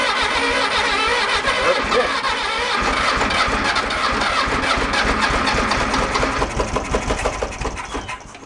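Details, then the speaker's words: 1966 VW Beetle engine being revived, distributor points cleaned: catches and runs loud and ragged with uneven, stumbling firing, then fades; rough running, owners suspect binding or hanging valves. "game that didn't sound good at all thinking the valves are kind of a little binding a little go ahead I'm not sounding too promising"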